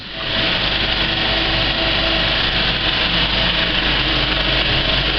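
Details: Kinoton FP30D cinema projector with Speco LP270 platter, well threaded and running the credits: fast, even, soft clack over a steady hum with no harsh slapping. A wrong wiggle loop would sound harsh; normal running.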